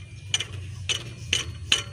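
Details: Toyota Avanza Dual VVT-i, rough noise at front of engine; tensioner pulley spun by hand gives short gritty clicking bursts about every 0.4 seconds, its bearing running dry.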